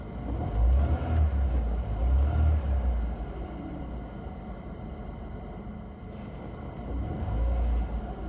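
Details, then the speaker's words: Engine after cleaning a dirty idle control valve that caused fluctuating, rough idle: smooth, even idle with two clean throttle blips rising and settling straight back to steady idle; running normally, fault fixed. "Evet, sorun yok. Bu durumda, kirli rölanti kontrol valfi gerçekten de sorunun nedeniydi."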